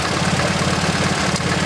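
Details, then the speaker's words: MGB GT with Lumenition optocoupler electronic ignition at idle: lumpy, uneven, stumbling beat; strobe shows no high-tension flashes on cylinders 2 and 3, spark too low; misfire on two cylinders. "cylinder number three let's see I got no flashes so that is really no good so there is something wrong with cylinders number two and three with the ignition"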